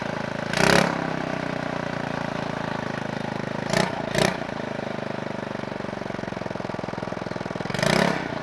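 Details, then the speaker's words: Scooter-engine reverse trike after years sitting, ignition rewired, oil checked, no coolant in it: fires evenly at a quick steady idle with clean throttle blips via the throttle cable, rising and settling smoothly; started really well. "did you see after the years of sitting how this thing fired up once I rewired the ignition it started really really well"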